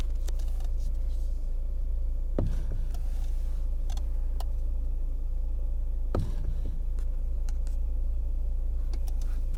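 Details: Lada Kalina Cross: under a low steady rumble, two sharp single clunks a few seconds apart while turning the steering wheel; knock in the steering, cause suspected, not confirmed.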